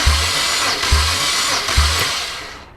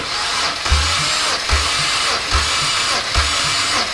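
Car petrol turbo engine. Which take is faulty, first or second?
first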